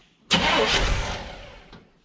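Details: 1975 Chevrolet C20 squarebody, sat about nine years: about one-second starter burst that dies without catching while checking fuel delivery to carburetor; suspected stuck needle and seat, not confirmed.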